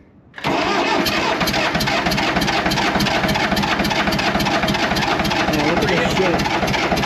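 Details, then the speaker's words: Allis Chalmers 644 articulated diesel forklift that sat 10+ years, with fuel confirmed and starting fluid used: the starter churns at about 3–4 beats a second with ragged firing puffs but won't catch. Low compression suspected. "so that brings us back to the previous thought of low compression just keep cranking on it with starting fluid and see if we can get it through"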